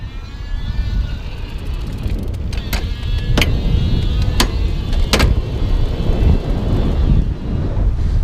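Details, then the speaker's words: Raleigh Sprite iE e-bike with powerful mid-drive motor, shifting gears while pedaling lightly: sharp metallic clunks as motor load stresses the drivetrain. "little bit of clunking going on. And that's what I was saying. I'm I'm not standing up. I'm not putting all my weight into pedaling. I'm just pedaling. But the motor, because it's so powerful, it's like it's really stressing it a little bit."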